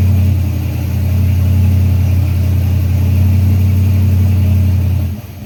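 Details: Freshly built Chevy 350 V8 on its first break-in run with idle turned up, oil pressure around 46 psi: steady, smooth raised idle with an even low rumble, no knocks or ticks, until it cuts off; normal fast idle.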